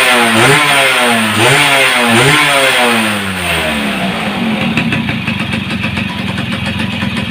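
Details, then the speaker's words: Yamaha F1ZR two-stroke fitted with a CDI Grand/Supra with modified wiring: crisp rev blips up and down a few times, then a clean steady idle with no hesitation; former kickstart kickback gone, runs normally. "Jadi kan motor ini sudah bagus ya, tidak ada berbet-berbetnya, tidak ada, dan juga kuncinya untuk tendangan balik yang dulunya itu ada."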